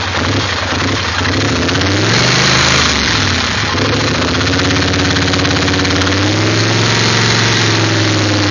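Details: 850 petrol engine idling with an uneven, lumpy beat that wavers and hunts instead of holding steady; rough idle, cause not evident.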